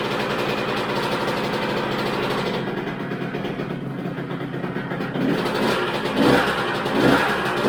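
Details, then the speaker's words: 2000 Honda CR125R two-stroke motocross bike, starting after pickup, with a carburetor that leaked fuel at pickup and a missing upper motor mount: rough running with a loose, clattering rattle through idle and blips. It died after seconds and the kickstarter has heavy drag, pointing to connecting rod and crank bearing wear. "um yeah there's a heck of a rattle there we're definitely gonna have to dig into it and find out what that is"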